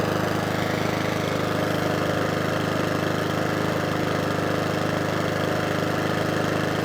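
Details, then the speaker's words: Mountfield 414 lawnmower after repeated carburettor cleans: single-cylinder engine holds a steady, even beat with no hunting or surging; normal running. "that's running nice now we like it"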